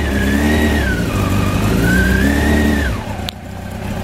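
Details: 1993 Honda CBR900RR with aftermarket exhaust and dyno-tuned jetting, started cold on choke: picks up cleanly on two smooth throttle blips and settles back each time, no stumble or popping; normal cold running.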